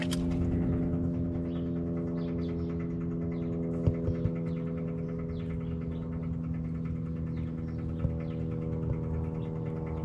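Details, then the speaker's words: 1959 Ford F100 with a Buick 350 V8, after sitting over 10 years, key on and engine off: a steady, low electric fuel-pump buzz as fuel pushes past the carburetor needle seat, flooding it. The cause is suspected to be a wrong-pressure fuel pump, not confirmed. "Fuel pump's pumping. See here, it's put Okay, so see here, it's pushing right past that seat."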